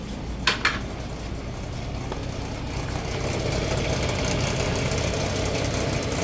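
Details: 2006 Nissan Xterra V6, 156k miles, hot engine idling at 750 rpm: a soft, uneven knock from the bottom end that is gone at 900 rpm and absent when cold; the oil light comes on after 30 minutes; cause unclear.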